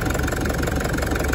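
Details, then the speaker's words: Nearly 300,000 km diesel, not started for 2 months, twin Optima batteries, after an injector job: even idle clatter with a steady, regular beat and no stumble or knock. It is a healthy idle. "that's the best thing I've heard for a long time"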